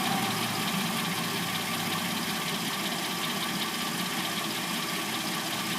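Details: 2006-09 Hyundai Sonata with replacement engine, first start of the day after sitting overnight (mild day), warmed to idle: uneven, bright clattery rattle over the engine note; owner assumes timing chain, not confirmed.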